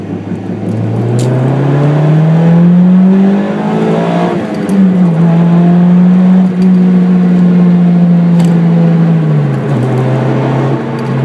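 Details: Car wheel hub bearing noise while driving: droning "go-go-go" hum rising and falling with road speed, clearest during deceleration in the latter part; worn hub bearing.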